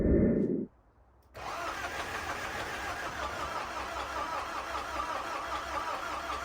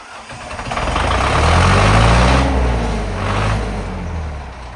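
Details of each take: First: Zetro 5718 diesel parked about five years, excess fuel button freed: starter labours briefly, a pause, then the diesel catches and settles into a steady, slightly uneven idle; hard starting after long storage. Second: 5718 Zetro truck diesel, first start after sitting five years, with the stuck excess fuel button freed: the engine catches and swells into a deep, steady chugging that settles to about four firings a second. Diesel engine running.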